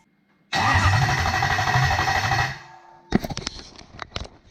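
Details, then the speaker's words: Toyota UZ non-VVTi V8 conversion with Link Extreme ECU, cranking after adding battery voltage; strong, even cranking about three pulses a second for two seconds without firing, ECU reads 200 rpm: normal cranking. "we can see we're getting good RPM, 200 RPM."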